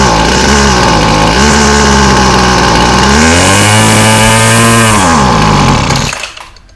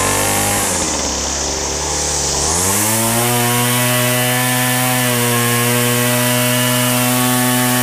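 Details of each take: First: Weed Eater FeatherLite Plus FL26 two-stroke trimmer, 40:1 fresh mix, new fuel lines, before carb replacement: revs high and uneven, sags and surges, then dies when choke is turned off; runs only on half choke; faulty carburetor. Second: Weed Eater FeatherLite Plus FL26 trimmer after a new carburetor, fuel lines, fuel filter and air filter, on fresh 40:1 fuel: small two-stroke buzzing high and steady, dipping to idle briefly then clearing cleanly back up to speed; runs healthy.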